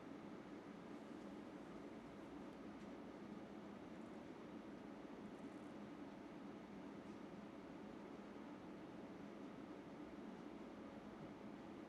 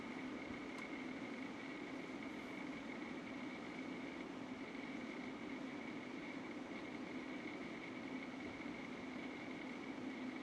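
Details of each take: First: UpHere NT1207-5 RGB PC fans, being turned up from about 1300 RPM toward maximum, where they reach around 57 dB: an even, loud airy whoosh with no knocks. Normal fan noise at high speed. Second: UpHere NT1207-5 RGB PC fans at max speed, about 57 dB with six fans installed: loud steady whoosh and hum with a faint motor rattle that persisted after swapping fans, cause unknown; loud fan noise with rattle.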